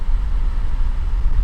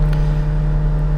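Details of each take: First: 2017 VW Golf Alltrack (MK7) new HVAC blower motor, part 5Q1819021E/H/B, replaced after it made noise: steady, even low rush of air at max speed with no ticking or scraping; healthy blower. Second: 2017 VW Golf Alltrack (MK7) cabin HVAC blower at max speed: loud steady low hum with rough uneven whir, worst at max speed; blower motor failing, sometimes switches off or drops speed intermittently.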